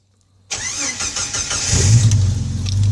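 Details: Jeep Wrangler YJ started with a momentary toggle switch wired in alongside the worn ignition lock cylinder, out of gear with tire chocked: short starter whirr, catches quickly, settles into a deep steady run. Normal start.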